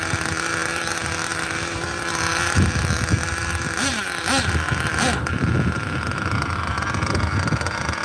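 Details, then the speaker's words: 27-year-old vintage nitro RC car just started: steady buzz breaks into ragged sputtering as soon as throttle is given, choking and bogging instead of revving; owner suspects something was in the exhaust. "sounded like it was choking or something soon as I try and give it any gas it just choke"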